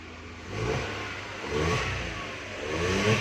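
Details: Nissan March with electronic throttle, after a check-engine light and no throttle response (scan code 2127, pedal position sensor) were fixed and the code cleared: three quick, clean rev blips with no hesitation; throttle now responds normally.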